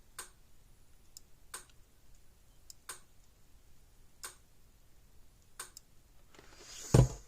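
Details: Gallagher S10/S16/S20 solar fence charger under repair, fed 6.7 volts: sharp dry clicks about every 1.3 seconds, one per pulse; output weak, tester needle barely moving.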